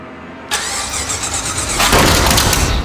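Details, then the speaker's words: $500 Ford Ranger with swapped V8, first start after replacing all 8 coil packs following a no-spark problem: quick crank, then it catches sharply and settles into a strong even idle with a rev blip. "Holy shit. Yes! That looked like a demon. Be a spitfire, dude. That was crazy."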